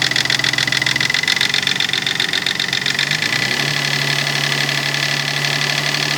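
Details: Nissan 300ZX non-turbo petrol engine revving: a raspy, hissy high-pitched weird noise over a rising tone. It goes away around 1800 rpm and comes back around 2500 rpm, and the cause is unknown.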